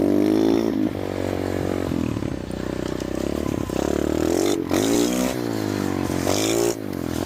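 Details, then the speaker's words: Abandoned roadside mini bike, single-cylinder, carburetor replaced, fires on first kick and is ridden at night: pulls cleanly through rising and falling revs, crisp throttle, no misses; runs well after revival. "Oh, first kick. How about that? Oh man, she runs pretty good."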